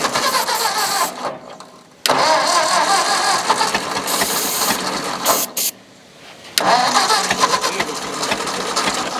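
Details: Old Ford tractor, possibly an 8N: repeated bursts of starter cranking, steady whirring churn with no catch and brief pauses; throttle position uncertain; cranks but won't fire, cause not confirmed.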